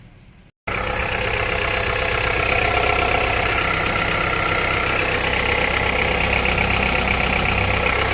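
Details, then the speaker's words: Honda CR-V 2.4, cold-engine idle: a steady, quick knock of about four per second rides over the engine; the owner has followed this cold knock since about 100,000 km and the cause is not yet found. "То есть вот это дизеление. Значит, первое видео будет это на холодную, и второе видео будет на горячий мотор."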